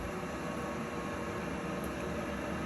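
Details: Webasto gasoline air heater newly installed in a 2019 RAM ProMaster 1500 van, cold mountain test: steady even hiss and whoosh of combustion air and fan, no surging or popping, blowing hot air; normal running.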